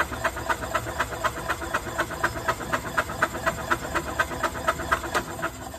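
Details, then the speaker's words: Early-1990s Club Car Carryall cranking on a jumper pack with the spark plug disconnected, after the rotten oil was dealt with: even starter chuffing about four beats a second, with no knocking or odd noises. "it sounds good there's no knocking no funny noises so uh I think we've got a winner here"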